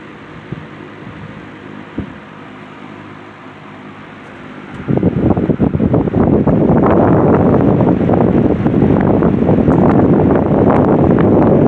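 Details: C&H Wizard box fan after motor swap from another fan, on low speed; spins up to a steady smooth rush of air with no rattling, grinding or wobble; running normally.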